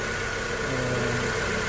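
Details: Honda CR-V after fixing no-start (fuel pump, regulator and O-ring replaced, check-engine code cleared): starts on one click, smooth even idle with no stumble, misfire or knock.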